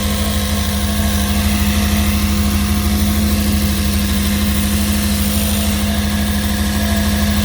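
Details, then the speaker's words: During an A518 transmission rebuild: a steady low one-pitch hum over an even idle rumble. The owner thinks it comes from the motor; the cause is not confirmed. "I'm not liking this noise. I don't care how many days hot. Humming kind of sound."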